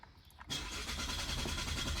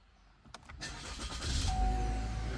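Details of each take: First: 2022 Chevy Malibu 1.5T with about 65,000 miles, which stopped starting the day before (fuel rail pressure earlier read 57 psi): the starter cranks at a steady rhythm but the engine never catches or fires. Crank, no start. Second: 2022 Chevy Malibu 1.5T with about 65,000 miles, after fixing a no-start by installing a new replacement part: a few quick cranks, then it fires and settles into a smooth idle while a door chime dings; normal start and idle.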